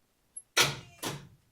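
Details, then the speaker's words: 1982 Chevy S-10 after an engine refresh, first start attempt in over a decade: two sharp clunks half a second apart, then silence with no cranking. The engine won't turn by hand or by starter; transmission suspected, not confirmed. "Uh, the motor does not turn by hand. It does not turn with the starter."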